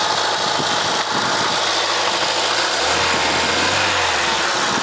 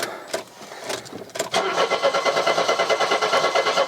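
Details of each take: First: Mercedes W123 230E first running in about 16 years, rebuilt metering unit, no alternator fitted yet, tap water in cooling system: steady even idle, no misses or knocks, faint power steering pump whirr; smooth and quiet, heard also from the rear. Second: Mercedes W123 230E on restart after first run in about 16 years, warm from running: starter cranks steadily at about three beats per second after short tries but never catches; cranks, won't start, cause unknown.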